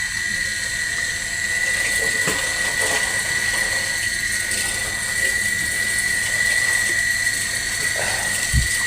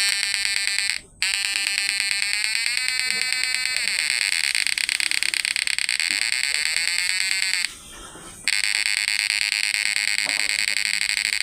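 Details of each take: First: PDC battery-powered inverter connected to a 200 W lamp load, before repair: thin steady whine with irregular sharp clicks from the on/off relay under two per second; relay chattering, no output current. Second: PDC 12 F mini inverter after replacing FDP032N08 MOSFETs with FDP045N10: steady high-pitched electronic whine, even pitch with brief dropouts; PWM and frequency stable, normal inverter output.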